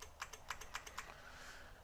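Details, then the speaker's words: 1999 Honda Valkyrie Interstate that had sat for years, with a new battery reading 12.9 V. Rapid light clicks, about seven a second, and no starter spin: the starter relay chatters and the engine won't crank. "yeah I think that's what I'm hearing is a relay to starter relay is clicking so it should be energizing the solenoid to crank this thing over"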